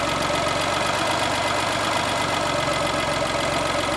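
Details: Geo that bogs down and dies when given gas a few minutes after starting, then lifting off the pedal; loud, uneven idle with a ragged knocking shake, owner suspects bad motor mounts, rough idle of unclear cause.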